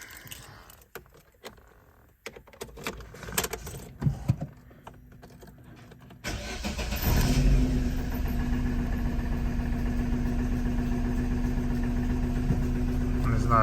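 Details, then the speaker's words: Opel Astra H engine cranks and catches into a shaky idle with a recurring stumble; code P0302, cylinder 2 misfire, ignition coil module checked and replaced. Cylinder misfire. "Всім привіт в роботі Astra H з проблемою троїть мотор зараз запущу продемонструю троїння"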